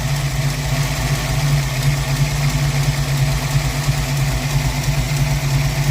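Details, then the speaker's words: Ford 302 V8 Mustang at warm idle after a valve adjustment: uneven, lumpy chuff breaking the rhythm about three times a second and sounding like a bad exhaust leak; a temperature gun shows a cold cylinder; dead cylinder misfire from valves held open by the adjustment. "y developed a missing the engine um sounds a lot like an exhaust leak except much worse now and it just hasn't been running right"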